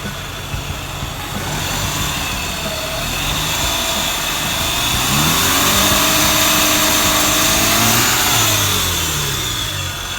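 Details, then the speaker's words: 131k-mile Mazda RX-8 R3 rotary, revved to about mid-3000s after the intake was reseated and the MAF secured. It started easier, and the rev climbs smoothly and settles with no hiss or vacuum noise. "I don't hear any vacuum noises. Oh, I'll rev it up a little bit. Or do you want me to? Sure. Just rev it like mid threes or something."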